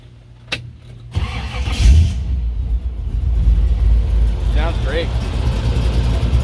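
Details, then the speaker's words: 1932 Ford hot rod sedan, restored 350 V8 (550 HP) with polished Weiand 6-71 blower, dual Edelbrock quads, shortie headers, dual exhaust, C6 automatic, new starter: starts on key turn after short crank, settles into deep, lopey, lumpy idle; normal. "Nice and lumpy. Yeah."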